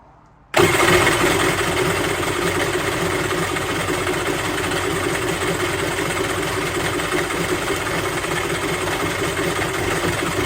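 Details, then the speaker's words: Polaris SL750 jet ski fires up after priming the fuel bowl and settles into a strong, even, crisp two-stroke run with no misses; sounds far stronger than two-cylinder Yamahas, normal running. "this thing sounds insane compared to those two cylinder Yamahas like holy crap this sounds good"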